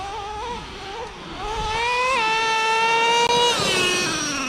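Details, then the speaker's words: Brand-new Traxxas Revo 3.3 nitro engine after break-in, low-speed needle set and high-speed needle leaned slightly, temperatures good: a crisp, high-pitched scream that climbs smoothly with throttle without stumbling; normal running. "Guys, I got this thing running amazing. My temps are good."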